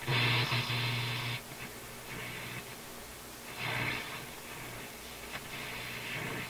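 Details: Nordmende console vacuum tube radio on the FM band (AM works) on restricted power, after reseating the FM tubes: the earlier noise is much reduced but a steady hiss and hum with surging static remain and no station is received.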